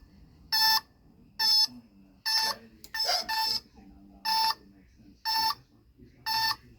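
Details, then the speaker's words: 1976 Kawasaki KZ400, new battery, not yet running: short bright beeps about once per second as the turn signals flash; owner unsure if beeping is normal or the flasher is failing. "you could hear it beep it's funny I'm not sure if it's supposed to be doing that or if it's about to go out right"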